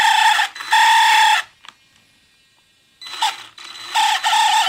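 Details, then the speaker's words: Second-hand Traxxas Summit RC truck accelerated slowly gives high-pitched squeals in roughly one-second bursts; drivetrain squeal, cause unconfirmed, owner suspects the slipper clutch. "so i bought this traxxas of ebay and uh i've been running fine but recently they have this bizarre squeaky noise so i don't know what it is"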